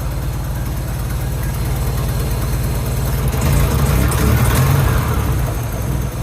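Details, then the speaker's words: Nissan 200SX S12 Silvia CA20E after a distributor install, ignition timing not set with a timing light: deep steady idle with an even low beat, a slight lift in speed midway, no misses or knocks; idles fine. "Well, I can't find the other piece for my timing, but it should be good. Actually, it even sounds good."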